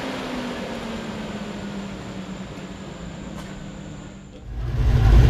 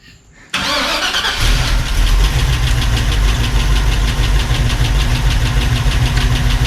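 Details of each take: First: 1986 Chevy C10 with Gen 6 454 big-block V8 at idle after swapping to COMP roller rockers: smooth, even drone, valvetrain tapping gone. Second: 1986 Chevrolet C10 with Gen 6 454 big-block V8 at idle: quick, light ticking about three per second from stock rocker arms tapping, out of adjustment because the cam is too aggressive; fixed with adjustable roller rockers, studs and valve lash.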